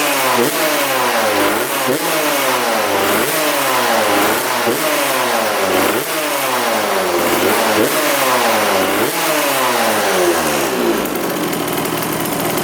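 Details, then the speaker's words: 1999 Suzuki RM80 two-stroke dirt bike after spark plug replacement: revs up and drops back in crisp, even repeated blips with no misfire or stumble; normal running, owner thinks the plug was the cause all along. "yeah it sounds pretty good all right so far so good I think it might have been that spark plock the whole time"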